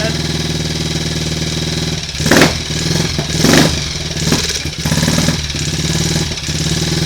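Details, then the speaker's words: Triumph Tiger Cub single, first start after engine rebuild with a new-old-stock conrod, run off the battery with no alternator or primary cover fitted: a thump with throttle blips and lazy pickup; uneven running, and ignition timing is possibly retarded, to be strobed. "I think we might be a little bit retarded there on the ignition timing. We're running."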